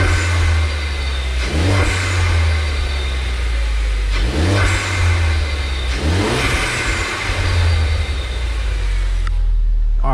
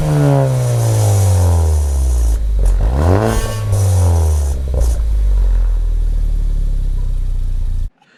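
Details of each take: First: Ford Focus ST with a new K03 replacement turbo, revved in neutral with no load and still cold: a faint rising whistle on each rev. This whistle was never heard before, even with the airbox lid off, and is taken as normal turbo spool. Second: Ford Focus ST, old turbo before K03 replacement: engine revs climb and fall with a loose metallic clatter on the blips. The wastegate flapper doesn't seat fully, so it rattles and the car loses power.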